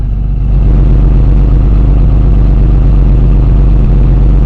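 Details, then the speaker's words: Idling engine heard at the exhaust: loud, consistent note with no misses but a raspy, blowing edge from a hole in the primary muffler; a smaller hole in the resonator may show a slight miss. "There are some holes. There's a hole in the primary muffler. Even the noise coming out of that hole is pretty consistent."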